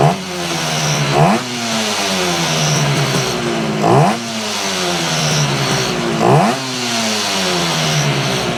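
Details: 1968 Yamaha YAS1C 125 two-stroke twin, cleaned carburetors, three throttle blips over lumpy uneven idle; right cylinder misfiring, temperature readings about 97° versus 110°, owner notes a big difference at the front.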